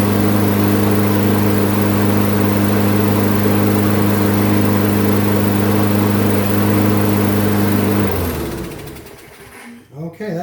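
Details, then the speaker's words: Craftsman front-wheel-drive mower, good plug, sharp blade, metal chunk removed from blade-adapter pulley, oil not yet changed: steady even drone with no surging for about eight seconds, then clean shutdown; normal running. "seems to have gotten it run steady now at least."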